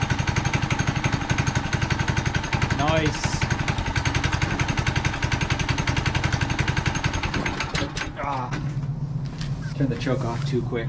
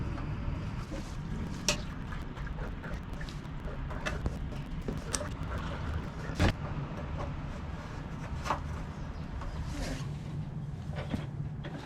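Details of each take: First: Manco Dingo go kart with 6.5HP Subaru Robin single-cylinder engine; quick even putter, catches and settles to a steady idle after starting: normal running. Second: Manco Dingo go-kart with 6.5 HP Subaru Robin engine: repeated cranking won't start, only sharp isolated pops; actually loud shotgun-like backfires.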